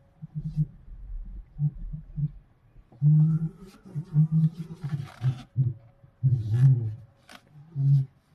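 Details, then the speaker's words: BYD Qin L front wheel area, cold and at low speed, steering after a speed bump: muffled groaning, rumbling clunks; front shock absorbers replaced, after which several hundred km were driven with no noise, so the shock replacement appears to have solved it. "原因呢，就是因为车子在冷车还有这个低速状态之下，过了减速带以后，你打方向盘啊，它这个前轮有异响，就是那种闷闷的咕噜咕噜的声音。"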